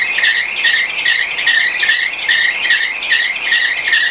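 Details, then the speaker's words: 2005 Honda Accord 2.4 VTEC at idle with newly fitted replacement serpentine belt: high chirping squeal pulsing about once a second. "but ever since I put the belt on it's actually started to squeal as well now I've replaced the new belt with a different brand because I wasn't happy with it there's something weird about the way this thing squeals let's have a look at it"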